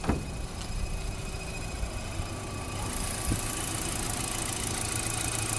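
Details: 2006 VW Passat 2.0 turbo, hood open, warm after a short drive: steady, smooth idle with even radiator fan noise and no knocking, squeal or shake; engine running normally.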